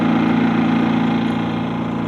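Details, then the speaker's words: Harbor Freight 2023 3500 W super-quiet generator (3000 W running output), just started, possibly with the ESC economy mode on: a soft, steady, even hum with no misses or rattles, much quieter than expected; idling normally. "that's pretty damn cool ah I was expecting a lot louder than that guys to be honest with you that rig is louder by far"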